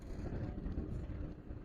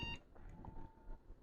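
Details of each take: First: Lenovo ThinkCentre all-in-one computer with a no-display fault, no hard drive and no BIOS battery: quiet hum, then one clear half-second high beep at power-on, a normal POST signal. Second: Lenovo ThinkCentre all-in-one computer: green power light comes on, one short beep at power-on, then no picture. A sound can also be heard from the screen. Graphics chip fault is suspected.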